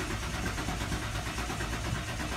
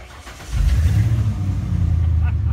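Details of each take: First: 1996 Ford Bronco crank no-start after driving to store; usual two-second fuel pump prime sound absent, relay and fuses checked okay: starter cranks in fast even pulses, engine never catches; fuel pump suspected bad. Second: 1996 Ford Bronco after fuel pump replacement: the engine catches within half a second and settles into a steady, even idle with no misses or knocks; normal start and idle.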